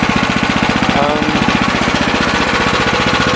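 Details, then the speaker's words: Sears 26" snow blower with new 6.5HP Greyhound (old Predator) Honda clone engine after swap, auger idling slightly: quick even thumping, steady beat with no knocks or stumbles; normal idle, no bad sounds. "it sounds good no bad sounds all I have left to do is make sure everything's tight and put the covers on it"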